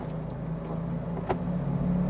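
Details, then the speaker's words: Toyota Kijang Innova 2KD diesel automatic after replacing the damaged left engine mounting: steady idle holds as drive engages, only a soft single thump, no jerk or clunk; transmission vibration gone. "Jadi kesimpulannya setelah ganti engine mounting sebagian kiri yang tadi rusak dan merusak itu ternyata getaran-getaran ditransmisi ini hilang"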